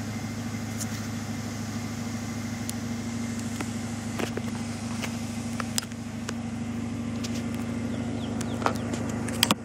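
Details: 1995 Ford Mustang GT V8 (OBD1) during cylinder balance test after one wide-open throttle tap, computer cutting fuel and spark per cylinder: steady even idle, low smooth burble, light background clicks; cylinders sound equal.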